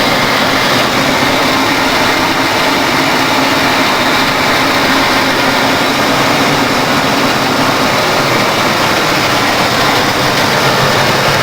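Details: 1992 Ford Crown Victoria ex-police car, stock 4.6L V8, mileage unknown, idle recorded under the hood after a cold start following a week of sitting. Loud, steady whoosh with no knocking, ticking or surging; healthy.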